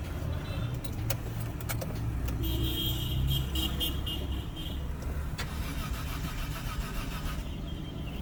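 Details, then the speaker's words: Peugeot 407 V6 after cylinder head gasket replacement, codes P0201–P0206 injector circuits: starter spins engine steadily for several seconds but never fires; crank no start, cause suspected, not confirmed. "I know why after replacing the top cylinder head gasket the car will crank but we not start pujo is always very funny when when it comes to those"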